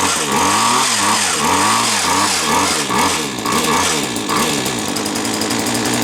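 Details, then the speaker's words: Hedge trimmer two-stroke, a bit smoky, now running after the switch was found left off: buzz rises and falls as the throttle is blipped, picking up cleanly each time; normal running. "Well, this I know it works now. I don't know why it weren't working before, but it appears to be working now."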